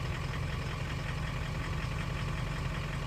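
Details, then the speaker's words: 2003 Ford 6.0 Powerstroke diesel, scan tool enhanced mode giving every injector equal fuel, light throttle: low lumpy uneven rumble; cylinders two, three, five and eight contributing weakly from sticking or worn injectors. "right now the computer's compensating and can add fuel to the weak injectors so here we are in enhanced mode where everybody gets the same"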